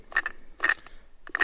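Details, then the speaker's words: Rolls-Royce Meteor engine magneto spun by hand during ignition timing (spec 8° for TDC on A1): three sharp crackling snaps about 0.7 s apart as points open and send spark through rotor and cap; sparking normally. "you can hear the the points cracking so as that's as the points open sends a spark down the rotor arm through the cap"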